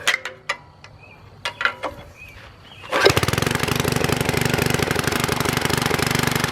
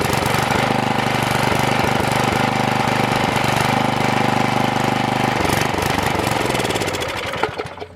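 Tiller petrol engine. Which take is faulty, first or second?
second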